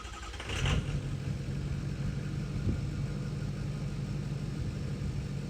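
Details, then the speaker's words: 6.0 Powerstroke diesel after a no-start from a failed stock starter, now fitted with an upgraded starter: a quick crank catches almost at once and settles into an even low diesel rumble; healthy cranking and start. "That was actually 10 times better than before. That stock starter sucked."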